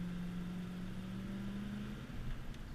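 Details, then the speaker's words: Big-block V8 accelerating under throttle on the road, recently warmed after about 10 minutes idling, fresh oil change: deep steady throttle-body drone climbing in pitch, healthy and clean; minor exhaust leak feathering that fades as metal heats. "It's got nice acceleration. It's got that nice deep big block throttle body sound when you stand on it."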